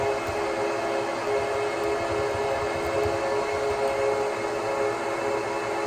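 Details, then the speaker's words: 2009 Apple Xserve (2x Xeon E5520) just after startup, OS on two RAID disks. Loud, steady fan roar with a constant hum and no wavering or grinding. Normal fan speed, though too noisy for a bedroom; a basement is suggested. "this is one of the reasons the Xserve is not for everybody of course the noise level prohibits you from putting this on the your bed in the bedroom as a server"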